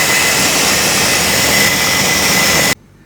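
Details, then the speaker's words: Ariston 8 kg Class A tumble dryer, disassembled and running. A loud, harsh rushing roar with a thin whine on top comes from damaged motor bearings, which need replacing after removing the motor. "you have to remove the motor and from the motor you have to replace the bearings so the noise you hear is the damaged bearings"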